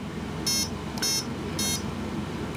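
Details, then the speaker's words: Turnigy AE-30A brushless ESC at power-up; three short high beeps about half a second apart as it reports its current programmed settings. "and it's going to run through its settings so that's option two is set on third option option two is set on the third option here's the fourth set"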